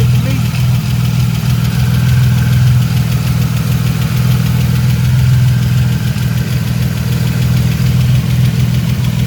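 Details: 1999 Camaro V6 idling after a 10-row oil cooler install, with oil pressure good and no leaks: steady even low rumble with no knocks, ticks or misses.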